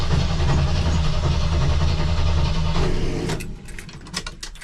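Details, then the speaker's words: 1984 Jeep CJ7 barn find that hasn't run in years, cranked with a jump starter on boost: steady rhythmic cranking about four beats a second that never catches, then the starter cuts out; the engine may be flooded, unconfirmed. "you better hold off dude you going burn up aore I think I flooded it"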